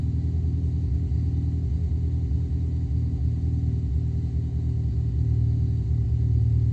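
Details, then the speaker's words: Mini R56 petrol engine on cold start idling with a deep, uneven, lumpy beat; diagnostics show misfires all on cylinder 3, coil and plug swaps ruled out, injectors suspected and cleaned, rebuilt and replaced; cylinder misfire. "ho molte mancate accensioni, si sentono anche, e sono tutte sul cilindro numero tre."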